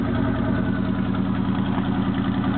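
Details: 1977 Chevy K10 carbureted 4bbl 350 V8 cold start at 8°F: steady, low, even cold idle through quiet Thrush mufflers; owner notes an exhaust leak and a possible occasional miss.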